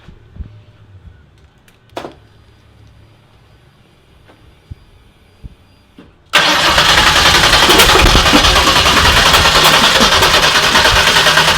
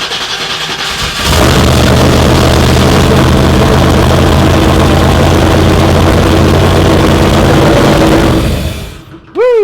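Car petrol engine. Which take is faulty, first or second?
first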